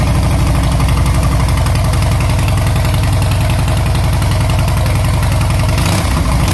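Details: 2014 Harley Softail Classic V-twin, before or after Vance and Hines Short Shots exhaust install: deep, loud, even loping idle holding a steady beat, no knocks or misses; healthy.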